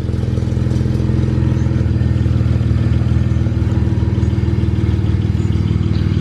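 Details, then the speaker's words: BMW 135i twin-turbo petrol engine at idle: a steady low rumble with a light, loose metallic clatter from wastegate rattle. "take a look at that in 54 sounds like this car house wastegate rattle"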